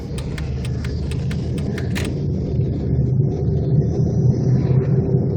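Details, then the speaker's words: 1999 Chevrolet Malibu at about 35 mph: a deep, heavy droning rumble that swells at steady road speed; badly worn wheel bearings needing immediate repair, with brakes recently replaced. "so dude was saying that was the worst bearings ever heard he couldn't believe it check these out this needs fixed immediately"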